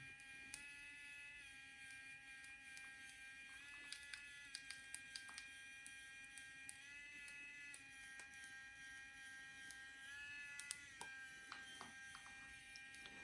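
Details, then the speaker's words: Geeetech 3D pen heated to about 167°, running while drawing: steady high motor buzz stepping in pitch with faint scattered sharp pops; filament popping at the nozzle, owner suspects too hot and lowers to 160. "I also hear the filament popping."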